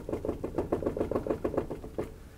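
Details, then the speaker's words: 2008 Infiniti QX56 rear wheel rocked by hand: quick hollow clunks about seven a second from a loose, already failed wheel bearing. "that wheel bearing is on its way out it's actually it's already failed it's loose"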